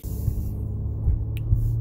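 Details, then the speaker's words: 2009 Acura MDX driving a bumpy road after replacing worn front sway bar end links that had clunked over bumps: low road rumble, no clunks or creaks; suspension now quiet, noise gone. "guys well seems like the noise is gone for now I don't hear any extra creaking or something or anything crazy I am going down a bumpy road just verify that the issue that I had is completely gone and it definitely is"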